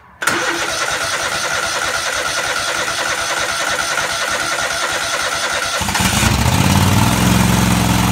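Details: Craftsman DGT 6000 tractor engine after reassembly (new fuel line, fuel pump mounted): starter grinds nearly six seconds before engine catches and settles to idle once fuel reaches carburetor — extended cranking before starting.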